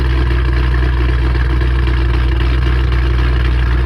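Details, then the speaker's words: 3-valve V8 running after a camshaft install on both sides, after reassembly: steady, deep, even idle drone with no knock or miss. Normal idle. "I did turn it on just to make sure it turned on and everything, but yeah, it's running."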